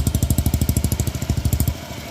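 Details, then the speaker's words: Honda Beat FI 110cc scooter after an engine overhaul that fixed a knocking sound: steady, even putt at about twelve beats a second, no knocks or misses before it fades; healthy idle. "So parinig ko lang sa inyo kung ano yung kinalabasan nung ginawa natin engine overhaul. Alright, so ito na mga boss. Ito na yung tunog ng makina."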